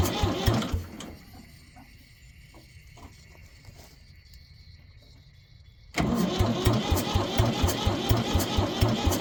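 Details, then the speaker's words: 1973 Ford 4500 industrial diesel backhoe, bought as a non-runner sold for scrap, on its first start attempt: a labored crank, a long pause, then the old diesel fires and chugs at about two beats a second; hard starting, ether kept around. "Guess that's why the ether's around. Oh. Alright, it runs."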